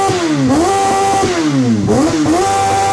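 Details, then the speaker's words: Suzuki Bandit 650S barn find that sat 2 years, first start, using choke: the engine fires and revs cleanly, pitch rising and falling with each blip, no knocks or misses; normal revving. "Try not to rev it too much. There. Just when you add it, yeah. Alright!"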